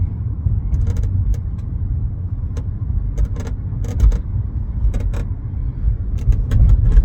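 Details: 2017 Chevrolet Bolt driving over bumps: sharp, irregular creaks and ticks from the rear over low road rumble, traced to the dry rear hatch latch.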